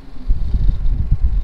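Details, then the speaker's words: Mitsubishi Airtrek at idle, before using a fuel additive: deep, uneven rumble surging irregularly once the AC compressor switches on, car shaking; rough idle under AC load, cause unclear. "Bila kompresor on je, dia jadi macam ni."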